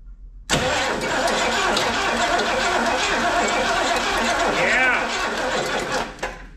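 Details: 1970s Lincoln Continental Town Car sitting about 30 years, with rotted belts and pulleys, cranking steadily and smoothly; engine turns freely with nothing binding or knocking, before ignition power and the Duraspark distributor are checked.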